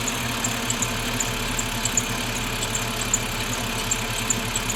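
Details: BMW 530i at idle: steady idle with a faint quick high chirp about twice a second over the engine; squeak, source not pinned down.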